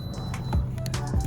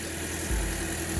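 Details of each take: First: 2008 Toyota Corolla LE, 130,000 miles, idling after code P0303 and a coil swap: deep uneven stumble under background music from a failing ignition coil misfiring one cylinder; engine misfire at idle. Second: 2008 Toyota Corolla LE after replacing the failed ignition coil pack behind a P0303 misfire and clearing codes: low, steady, even idle with no stumbles, much smoother than before; normal idle.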